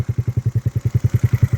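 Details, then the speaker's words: Scooter 139QMB engine rebuilt with an AliExpress 44mm stroker crank and SA88 52mm big bore kit with big valve head, first fire-up with a carb that had sat a while; slow, even single-cylinder chuffs, steady super-low idle, healthy. "And she sounds good. She sounds good. She's idling super low, but nothing wrong with a low idle, right?"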